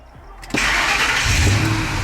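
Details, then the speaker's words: Ford F-150 V8 after repair of lean condition, hard starting and power loss with check engine light, just after battery disconnect: brief crank, catches at once into a steady, even idle; no more long crank. "starts right up no more long crank it's idling good"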